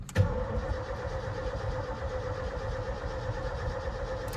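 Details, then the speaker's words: 1980s Ford F-250 bullnose big-block, with a new starter relay and the fuel tank reinstalled, fuel pump heard priming: strong, even cranking but it never fires; owner suspects the previous owner's fuel problem, probably a clogged fuel line. "All right, it's still cranking, but not starting. So, uh but the cranks are healthy. I hear the fuel pump going."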